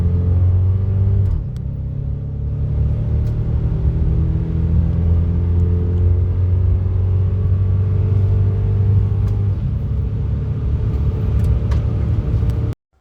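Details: 1991 Lexus LS400 automatic (A340) after Transgo shift kit and new shift solenoids, hard acceleration toward about 80: revs drop sharply at each upshift, quick firm change with no slipping or flare.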